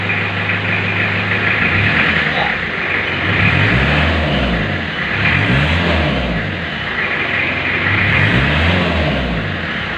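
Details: 1991 Isuzu Panther diesel during warm-up, engine said by mechanics to be still good, black exhaust smoke: steady clatter with repeated throttle blips, even and free-revving with no knocks or misses; normal diesel revving.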